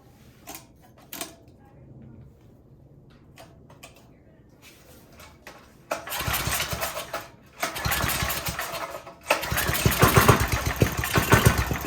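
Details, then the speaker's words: Briggs & Stratton 5hp engine on a generator, reassembled after repair: weak cranks then catches in sagging, surging bursts, won't hold a run; owner suspects governor arm position, to be adjusted. "So I suspect that's what's causing it kind of to start but not run."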